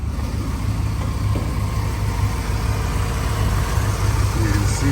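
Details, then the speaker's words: First-generation Dodge truck (snow-fighter rehab project) idling in the shop after a reluctant cold start: deep steady thrum about 190 pulses a minute, even with no knocks or misses; healthy idle. "all in all it's a pretty good running truck I think"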